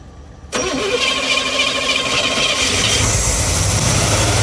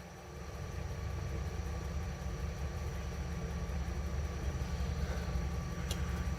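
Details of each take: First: 1971 GMC 3/4-ton Camper Special V8, first started in 18+ years, on a later start cranks briefly, then settles into an even burble on all cylinders with good oil pressure; fuel delivery problem still unresolved. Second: 1971 GMC Camper Special 3/4-ton V8, first start in about 18-20 years, fuel poured into the carb: a low, uneven rumble with a shaky, lumpy beat, clearly not firing on all 8 cylinders; rough running misfire.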